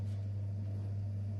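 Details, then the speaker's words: Bosch 6000 gas boiler circulation pump after its knocking rotor was replaced: steady soft low hum, no knocking or rattling, now running quietly and normally. "мы получается поменяли ротор на данном насосе всё он сейчас работает тихо без шума всё отлично"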